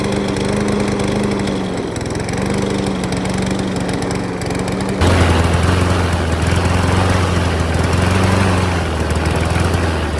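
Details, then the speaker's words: Broken push mower pulled from a trash pile, now running after carburetor reinstalled and a new spark plug fitted. Runs steadily, then jumps to higher revs and holds an even drone without sputtering; running properly. "And just like that, she's running. All it took was those 5 steps."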